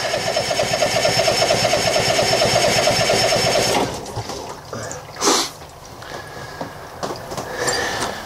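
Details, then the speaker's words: Boat's 6.2 L MPI engine being winterized in freezing cold, raw-water line pulling antifreeze from a jug: starter churns about two beats per second for nearly four seconds, then stops without catching; cranks but won't start, cause unknown. "well for some reason I can't get his generator running but as you can see I'm about halfway through so just turning it over pumps the antifreeze through the motor"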